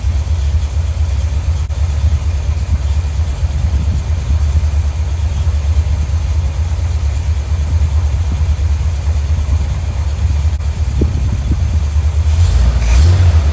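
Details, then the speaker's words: 1972 Corvette C3 small-block Chevy V8 after rebuild, running once the flooded carburetor and intake were dried and base timing and dwell were set: deep, even idle rumble with no misses, then a brief rev. Normal smooth idle. "So it's purring like a kitten now. Really glad to be at this point."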